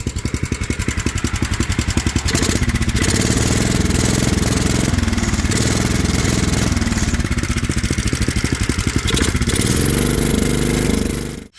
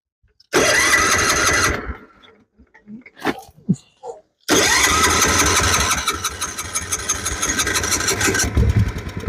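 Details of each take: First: Older Kohler single-cylinder on a homemade mini tractor-truck after a new carburetor, new fuel line and fresh fuel, untuned, choke use uncertain: steady, even thumping beat holding speed, then clean shutoff; sounds good, though spark plug and air filter are worn. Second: Older Kohler small engine on a homemade mini tractor-truck, gas drained and fresh fuel added, petcock and carburetor pouring fuel: cranks, catches and settles into a busy, fairly even run; fuel leak, running itself sounds healthy.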